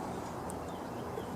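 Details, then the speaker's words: Mower carburetor with damaged primer passage: pushing the primer bulb gives a soft wet bubbling gurgle as air leaks down into the float bowl instead of out the nozzle. "when you push the bulb it sends the air pressure down but it goes down into the bowl and not out like this one's doing"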